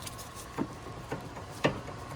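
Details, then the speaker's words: 2003 Porsche Boxster sold as a flood car, passenger-side front sway bar drop link worked by hand before replacement: a few dull, irregular knocks over a quiet hiss; worn, loose drop link. "now the front one this is the passenger side front and this one is definitely making noise"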